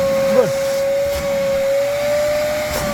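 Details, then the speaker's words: RIDGID 6 gallon NXT wet/dry vac switched on, sucking debris from dirty car interior carpet: steady, even motor whine with airflow rush, no wavering or grinding; running normally with good suction. "Let me turn it on. It has been turned on. Now see how it sucks."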